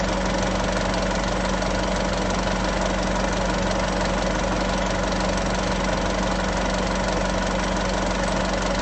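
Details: Isuzu 3.0 V-Cross 4x4 pickup, diesel, cold morning start idle: steady, even clatter with a constant low hum and no knocks or misses. A healthy cold-start idle.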